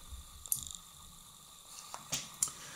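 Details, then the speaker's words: Homemade transformerless 220 V car battery charger with auto-cutoff relay, battery clamp removed to simulate full charge: a few sharp isolated clicks as the relay opens and disconnects the battery leads, working as intended. "щелкает реле отсекает вот эти провода от аккумулятора"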